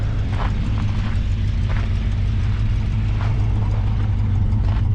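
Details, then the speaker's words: 1968 Chrysler Imperial 440 V8, believed about 60,000 original miles, auction car, driving on gravel about 50 mph; deep soft even rumble, only a faint non-aggressive exhaust note, inaudible in the cabin, no ticks. "you can just barely hear the slightest hint of exhaust note but it's not aggressive and you can't hear it in the car which is the best part"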